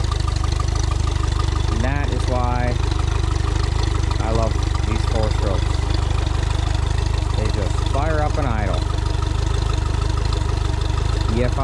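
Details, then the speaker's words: 60hp short-shaft Mercury four-stroke outboard on a 1977 17ft J-Craft, idling after a loose prop was removed: steady, even low rumble with a regular pulse, no misses, knocks or hunting; normal idle. "I mean, it shouldn't have a problem. If it can idle like this, it should be able to plane out."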